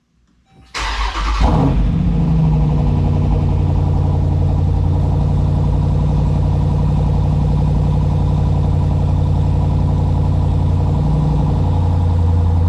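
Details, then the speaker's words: SRT8 V8 just after a DIY spark plug change to NGK Laser Platinum plugs, first start: catches quickly, fast steady cold high idle with no rocking or stumbling, then eases down evenly; plugs and wiring judged correct, healthy start. "Higher right now because obviously I just started the engine. We want to make sure it's not bobbing back and forth, which could be an obvious sign that I didn't put in all my spark plugs correctly or they weren't wired correctly."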